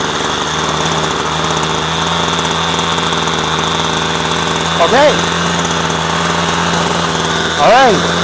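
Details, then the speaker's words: Two-stroke string trimmer after the low-speed mixture screw was backed out half a turn: a steady buzzy drone holds too fast at idle, running a little high, so the mixture is being turned down. "So, that was now high to be running a little high. So, we're going to turn it down."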